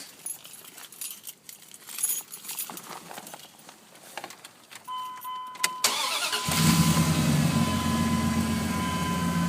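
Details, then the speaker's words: Dodge Dakota 4.7L 4x4 cold start at -7 degrees with external oil pan heater plugged in (struggled to crank the day before without it): quick crank that catches on first try and settles into an even, steady cold idle. "So, no issues there. First crank, just like it was uh you know, like a 40° morning or like even a 50° 60°"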